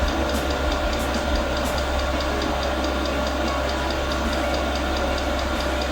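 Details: Newly mounted portable all-in-one diesel air heater, first start at maximum power, 40 seconds in: regular sharp fuel pump ticks over steady fan noise. The first ignition fails; the glow plug relights, then a shutdown cycle runs with white smoke outside.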